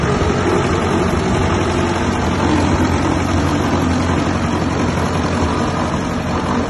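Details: 1959 Massey Ferguson 85 tractor, first run in 5 years after new points, a cleaned carburetor and a new solenoid: steady, even low idle with a smooth rumble and no knocks or misses; running healthy.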